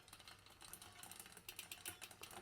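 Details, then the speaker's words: Mountain bike rear derailleur deliberately misadjusted, chain pedalled: rapid light tick-tick ticking as the chain is pushed toward the next cog; the adjustment has gone too far and is then corrected. "here tick tick tick tick tick it's starting to move off okay so again we've gone too far"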